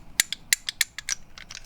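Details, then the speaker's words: Heavily used Keihin PWK Airstryker two-stroke dirt bike carburetor, slide rocked by hand: sharp uneven clicks about six in two seconds; worn loose slide in bore, evidence of heavy use, engine ran extremely rich. "it's got a wobble yeah it has a little bit of a wobble I don't think that much movement would cause trouble as far as engine performance but it is some evidence of how much the carburetor has been used"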